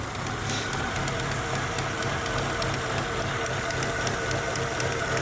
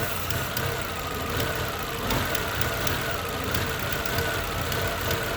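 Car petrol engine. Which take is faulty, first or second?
first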